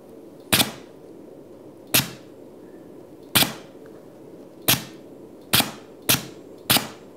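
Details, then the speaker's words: Pneumatic solenoid valve at 30 PSI with exhaust diffusers now fitted: seven sharp hissing blasts in about seven seconds at uneven spacing, quiet between, only slightly quieter than before. Normal pneumatic valve exhaust. "Quiets it down a little bit. Not a ton."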